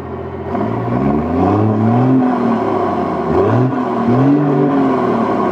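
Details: 1989 Cummins diesel swapped into a 1996 Ford F-350, temporarily rigged to run, just started: idles, then revs up and drops back a few times, pitch rising and falling smoothly with no knocks or misses; healthy engine.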